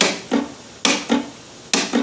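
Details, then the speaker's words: Cub Cadet ZT1 zero-turn electric PTO clutch, bench tested on 12 volts after the deck belt melted onto its pulley: three sharp metallic clicks, each followed by a softer clack a quarter second later. Normal PTO clutch engagement. "So that seems to be testing out just fine and I think it's working. So that's all good. I don't think there's a problem with it."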